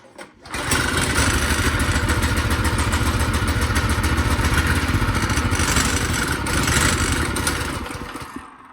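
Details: Tote Gote mini bike with a cold engine, started on choke right after the ignition key switch was rewired: it catches within a second and runs with a steady, even beat. Normal cold start.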